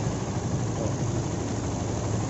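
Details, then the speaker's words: Honda CB150R after repair of a rough, noisy engine with ticking (kletek-kletek), cam timing marks aligned and cover refitted; smooth steady low idle with no ticking or chain rattle, the earlier ticking gone, normal idle. "yang letek letek tadi langsung ilang ya"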